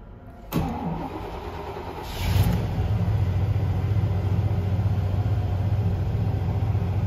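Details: 5.7 V8 after an intermittent and then constant crank no-start with codes P0336/P0339: crank sensor replaced and gapped with one washer. It cranks briefly, fires at about two seconds and drops into a smooth, steady idle.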